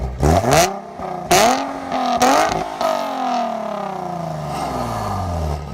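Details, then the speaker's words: Nissan 370Z with stock headers, Burke high-flow cats, AAM S-line mid and H-pipe, stock mufflers, before Motordyne header install: engine starts and revs with a tinny metallic exhaust rattle over the revs; source not pinned down. "e there's a really crappy rattle noise, which I think you'll hear when she starts up, but I hear it all the time, and it's super obnoxious to me."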